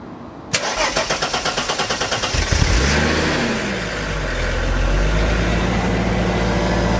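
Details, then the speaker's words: Mercedes W202 C36 AMG just after new fuel filter and fuel pressure regulator, key primed to check leaks: starter cranks about two seconds, engine catches cleanly, flares, settles into smooth idle; normal start. "all right guys key is primed right now I'm gonna go ahead and start it up and then we'll come back here and take a look"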